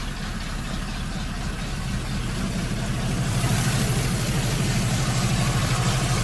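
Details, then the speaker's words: ZIL crane truck idling; nearly silent with the hood closed, but the mufflers have holes in them: low steady idle with a slightly raspy, puffing exhaust edge that swells a little midway. "Но еще глушители дырявые. Если бы глушители были в огне, то вообще было бы супер."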